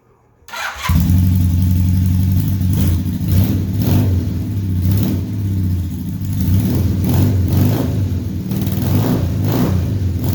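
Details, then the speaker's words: 1978 Honda Hawk cafe-racer project with automatic transmission, running after refitting an off-centre header that sat on its shoulder with loose nuts and an uncompressed copper ring; steady low exhaust note, no popping, hissing or spitting; leak fixed. "Sounds much better. No popping, hissing, spitting through an exhaust leak."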